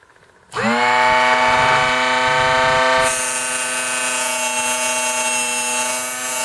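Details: Drill Doctor XPK drill bit sharpener, first use, sharpening a standard point twist drill: motor spins up to steady buzzing whine, brighter grinding hiss joins as bit meets the wheel; running normally.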